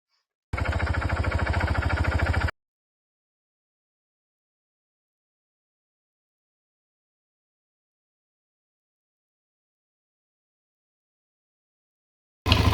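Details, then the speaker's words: Suzuki DRZ400 single cylinder with about 25,000 km and the original exhaust, at idle: a short burst of steady thump with an even light tick, not quiet but normal and healthy. "actually to me it sounds fine uh it's not it's not quiet but uh it has the I guess here it had the original exhaust on it so you can also hear engine noise a bit more and that thing is just ticking"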